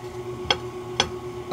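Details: Checking suspension noise by levering up under the wheel with a bar: two sharp metallic clunks about half a second apart reveal play in a worn lower ball joint.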